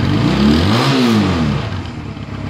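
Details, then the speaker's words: Honda Rebel 250 (CMX250) after a carburetor rebuild with fresh fuel, having sat more than a year: the engine catches, revs up cleanly, then settles to a smooth idle without misses or pops. Normal start and idle. "guys so I'm gonna let it run for a while it's been sitting for probably more than a year so it's still good for it to run some and seems like everything's gonna be fine"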